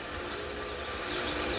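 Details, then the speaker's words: Water well jet pump just powered back on after replacing the pressure switch; steady motor drone with airy hiss but no pressure building, pump running without prime and must be primed. "all right so we got the power back on you hear the pump running but you can"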